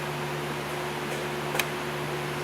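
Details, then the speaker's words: Towed-in Dodge Neon with no start, no crank, no communication, after a connector was plugged back in: steady low electric hum with faint whirr at key-on, no crank; fuel pump priming normally. "Did you hear the fuel pump?"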